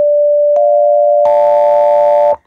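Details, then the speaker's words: Arduino touch-controlled penny organ with four digitally controlled oscillators feeding a mixer: a steady tone turns buzzy and harsh at the same pitch. The first oscillator's sine wave is visibly distorted at the top on the scope. "so here's a slightly closer look at the sine wave on the scope and there's clearly something wrong with the top of it"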